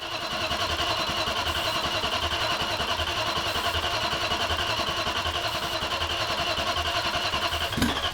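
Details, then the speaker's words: BMW M60 V8 swapped into an E30, first-ever start, coolant hoses not connected, headers fitted on one bank only with the other bank open at the block; very loud raspy crackly idle with an even beat, no knock or miss. "Dude, I can die happily. I can literally die happily now. That's insane. Dude, that was so fucking loud."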